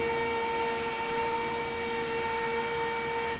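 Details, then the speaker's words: Electric roller TV cover after reprogramming its limits: a steady mid-pitched motor hum runs evenly for about three seconds, then cuts off cleanly as the roller stops at its set limit on its own. Normal operation. "your rollers programmed down it should stop on its own up will stop on its own"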